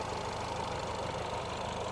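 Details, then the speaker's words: Peugeot 308 GTi (THP engine) after PCV oil leak fix: steady idle with fast rattly chatter over engine note, loudest down low; clutch chatter. "That noise, if you can hear it, it's it's the clutch. It's paddle clutch chatter. So bloody loud."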